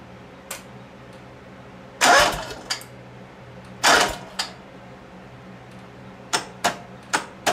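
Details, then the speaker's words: John Deere 318 repowered with a Honda engine, click-no-crank problem: sharp single solenoid clicks at irregular intervals with no cranking, from the trigger wire not giving the starter-mounted solenoid full contact; fix is adding a relay. "see it don't hardly drop at all so we know it's not volage dropped to here and we know it's because this wire not always give them full contact long as this wire has enough power to energize that relay this should be golden"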